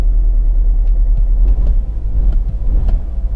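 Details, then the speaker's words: Cheap BMW Z4 with service overdue by 38,000 miles, started up: deep uneven idle with an irregular stumble, running on three cylinders, shaking, engine light flashing; owner hopes it is just a coil pack. "well we've got quite an obvious misfire there i wonder whenever the engine light's not on"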